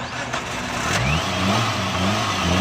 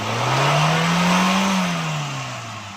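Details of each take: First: Suzuki Alto VXR carbureted petrol engine, missing at top speed and unable to exceed 100: on throttle the revs rise sluggishly, hang, and the engine shuts off. Bogging on acceleration; carburetor fuel, pump pressure and double-venturi setup to be checked. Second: Suzuki Alto VXR that misfired and wouldn't exceed 80 km/h, after throttle butterfly adjustment: revs climb smoothly, hold clean and settle without stumbling or missing; normal revving after repair.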